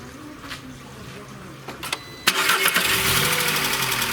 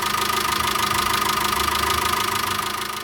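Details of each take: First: VW Caddy 2.0 BSX petrol (factory methane, higher compression, diesel-like note), after new Bosch leads and NGK plugs cured misfire: starts and idles with fast even metallic top-end ticking, one or two valves/hydraulic lifters clattering; cause unconfirmed. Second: VW Caddy 2.0 BSX methane-fuelled engine after fixing misfire (spark plugs with 100,000 km, cheap ignition leads); steady even idle, soft pulse, no hydraulic lifter tapping; normal healthy idle.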